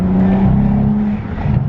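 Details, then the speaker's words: BMW 335i pulling from a stop; engine note sags and roughens about a second in with a snorting sound as the car hiccups forward, pushing it would trigger limp mode; owner suspects misfire, possibly boost leak; hesitation under acceleration. "So essentially, like you hear that kind of snorting sound, the car hiccups forward."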